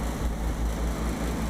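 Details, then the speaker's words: AAON HVAC unit working again the day after servicing, with no error codes: steady low rumble with soft, rapid rhythmic pulsing as the compressor unloads its refrigerant and oil through the system. This is normal operation. "What you just saw there was a compressor unloading its Freon."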